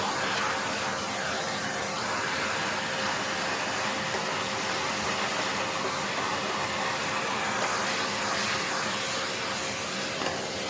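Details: Hoover Encore U4595 vacuum, long stored in a basement, test run during refurbishment: smooth, even high whir with a steady airy rush and no rattles or grinding; the motor works and sounds really good.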